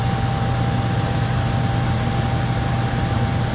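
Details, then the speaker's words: Furnace after replacing the transformer, control board, blower motor and capacitor, heat rolling and no error codes on the board: an even blower rush with a steady low hum and no rattles, clicks or surging; normal furnace operation. "We got heat rolling. Everything's rolling like it should be."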